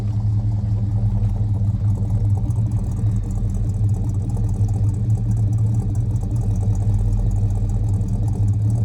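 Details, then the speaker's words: 1979 Chevrolet Camaro V8 at warm-up idle on its brand-new exhaust with Hooker mufflers and Flowmaster tailpipes: deep, even rumble with steady lope, no knocks or ticks; normal idle. "sounds brutally mean. Oh, I love it."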